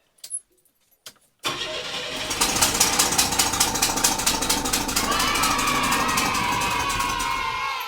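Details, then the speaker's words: 1982 Chevy S-10 after a swap from the 2.8L to a 3.4L V6, first start after an earlier backfire with timing possibly off: loud raspy puffing over the idle at about 160 per minute on one side. A big exhaust leak. "Okay, we've got a mighty exhaust leak. It sounds like it's on this side, but it ran."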